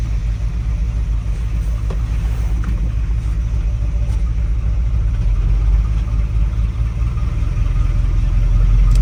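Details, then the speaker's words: 1981 Dodge Ram 350 V8 with Edelbrock 600 CFM carburetor: uneven loping idle like a four-cylinder Model A until above the idle circuit, lean on one bank; clogged idle circuit, cleared by blowing compressed air through it. "it sounds like a four-cylinder Model A or something like that until you get up over the idle circuit [Music] so it's running really lean on one side of the carburetor"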